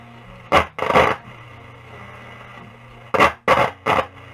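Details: 1937 Sparton Model 1068 radio on the shortwave band: five sharp scratchy bursts of static over a faint hum. The broadcast band works; crackling source not yet found, possibly something shorting.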